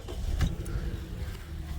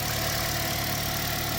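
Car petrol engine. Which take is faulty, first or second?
first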